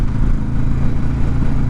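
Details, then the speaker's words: 2005 carbureted Yamaha motorcycle on first ride of the season, slow to warm up: steady fast idle rumble that never settles, idle too high and popping a lot. "you can hear it you can just hear the idle is way too high and it likes to pop a lot so we're just going to run it through traffic and see how it goes in traffic"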